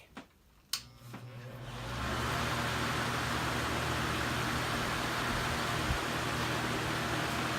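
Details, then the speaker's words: Westie fan reassembled after motor rebuild, running on high with the front grille fitted: steady fan whoosh with a light buzzy rattle from the broken, cracked plastic front grille, which isn't attached to the carriage; quieter on low. "As I'd imagine, there's a bit of a rattle. This front grate leaves a little bit to be desired."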